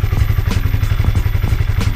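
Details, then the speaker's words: Honda CB150R single-cylinder after over five months on 100% cooking oil as engine oil; crisp, regular even thumping, about fourteen beats a second, no rattle; owner judges engine smooth and still healthy. Normal idle. "Suara mesinnya setelah lima bulan lebih menggunakan minyak goreng suaranya halus Mbah tetapan suaranya halus dan saya kira masih sehat-sehat saja Bah mesinnya"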